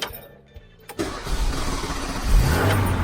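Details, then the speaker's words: 1983 Renault Trafic campervan, engine worked on by the owner: starter cranks briefly, then it fires and settles to a steady smooth idle; normal engine start. "listen to that come on you gotta admit i've worked on that and you can see how good a job i've done listen to it"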